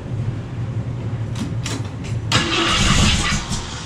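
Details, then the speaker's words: 1967 Mustang with a new Summit 302 crate engine, first start on the lift with no throttle return spring fitted yet: even starter cranking with no dragging, then the engine nearly catches with a rough burst; normal cranking. "well that sounded promising come on you can do it"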